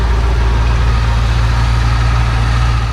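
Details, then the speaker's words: Barn-find 1966 Ford Thunderbird V8, sat at least 32 years, restarted after a fouled plug was cleaned: deep, even rumble with all eight cylinders firing. Still slightly rough, with a faint lifter tick. Normal idle. "well with all eight cylinders firing she's running good again"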